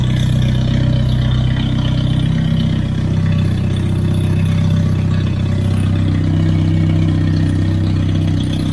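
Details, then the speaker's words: Hyundai Genesis turbo, first full start in a long time after coolant refill: loud, deep, rough idle with raw unmuffled exhaust rumble; wastegate not fitted, fresh thermal coating burning off. "because I don't have that wastegate on it, that's why it sounds like that."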